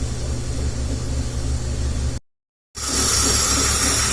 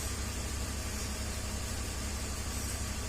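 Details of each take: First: 2003/2004 BMW 325xi petrol engine idling with a loud, steady hiss from the back of the intake: a vacuum/induction leak, possibly at the mass airflow sensor bellows or a small nipple, causing misfire at idle, lean codes 227/228 on banks 1 and 2. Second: 2003 BMW 325xi (listed as 2004) at idle after an intake-manifold vacuum leak was sealed with a cap: a low, steady rumble with a faint hiss and no stumble. It had misfire codes 227/228 for control deviation; fuel trims now relearning down from bank 2 at 8%, bank 1 at 0%. Normal idle, no longer lean.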